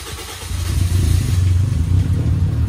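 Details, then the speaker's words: Rough, uneven engine start: catches after a short crank and settles into a deep lumpy rumble; owner unsure of cause, feared major engine work. "Mungkin tadi lu sempat dengar gitu kalau suara e mobil gua pas di starter tuh kasar nih gue ingetin"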